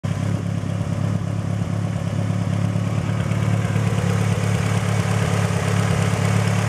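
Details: Mitsubishi Lancer Evo 8 turbo four with stock cams, fully warmed up at idle: light, quick ticking over the exhaust burble; owner unsure if normal valve noise or lifter tick.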